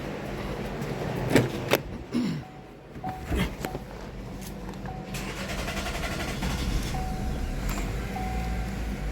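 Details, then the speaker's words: Chevy, 134,000 miles, after vacuum pump failure threw off timing (P0014/P0017), fuel rail refitted and pressurized after a bad fuel leak: brief crank, then immediate catch into a smooth, steady idle; check engine light still on, possibly fuel pressure code. "so just that fast I put the fuel rail on it pressurized and start it right on up"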